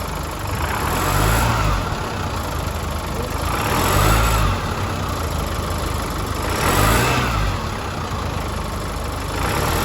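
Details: 2016 Chevrolet S10 2.8 diesel, nearly 150,000 km: harsh mechanical noise rising on each rev blip and stopping when the throttle is released; failing high-pressure fuel pump, replaced.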